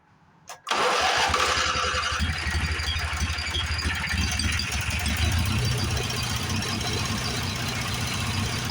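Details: Late-80s Craftsman GT6000 tractor, 18 hp Briggs, sat outside: cranks with rapid uneven chugging but never fires; no vacuum-pulse fuel pump pressure felt, owner suspects bad fuel pump or sticking float; crank no start.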